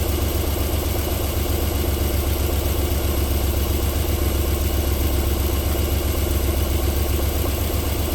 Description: Cold engine start-up idling nicely and silky smooth.